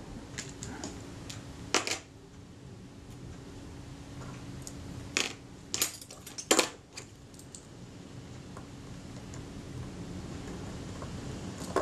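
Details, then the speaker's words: Rebuilt camera shutter's self-timer (delay action), graphite-lubricated and just seated in the shutter: a faint, even buzz runs steadily through the whole run-down with a few handling clicks; normal, smooth self-timer run-down. "That's running down nice and smoothly now. Yep, no problem there."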